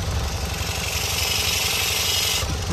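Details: BMW E46 idling with a rapid chuffing puff and hiss at the exhaust, raised on a jack: the joint is leaking again because the earlier sleeve failed, and a longer sleeve will be fitted.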